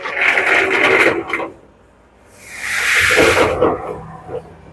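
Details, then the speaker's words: LG commercial dryer, drum turned by hand with panels removed: harsh scraping grinding, also loud when running with a load; damaged drum support roller wheels, and replacing them stopped the noise. "now we are while running drum by hand also is making loud"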